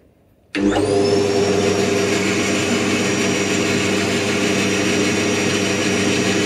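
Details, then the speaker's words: Band saw after noise, vibration and drift adjustment, with cushion under table bolts against vibration, final test: motor spins up quickly to smooth steady hum with faint even blade whir, no chatter or rattle; about 20 dB quieter than before. Normal running. "ビビリ音や振動音を最大限止めてみました。20デシベルほど音が下がりました。"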